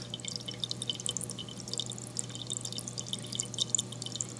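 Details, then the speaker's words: Eshopps PSK-100H protein skimmer, air hose fitted with a silencer: steady low hum under constant irregular splashing and gurgling pops from the skimmer itself, not the air line; noisy skimmer splashing. "The sound is not coming from the air hose. I have a silencer on mine. You still hear it. This is the noise you're going to hear. And it's coming from there."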